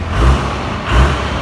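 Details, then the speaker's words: 2008 Ford F350 with a Cummins swap, electronic pedal converted to a cable pedal: diesel idling, then two quick, sharp rev flares from tiny pedal taps, each dropping straight back; the converted pedal is very touchy, oversensitive throttle. "But he told me it's an electronic pedal that had to be converted to a cable run pedal, and for some reason that makes the pedal really touchy, which it is."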